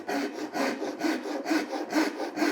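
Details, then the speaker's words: Japanese ryoba pull saw rip cut with the ripping teeth, two-handed and slightly uphill: even, smooth rasping strokes about two per second with no catching, the saw tracking cleanly through the timber. "can hear that the timber wants to be cut in this up direction for a Japanese rip cut."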